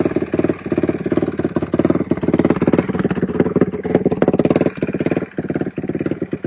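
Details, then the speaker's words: Suzuki Quadracer LTR450 single-cylinder quad after removing the inline fuel filter: crisp throttle blips rising and falling cleanly with no stumble; takes throttle normally. "I did that. It seems to take throttle fine. So we're going to take it for a rip down the road."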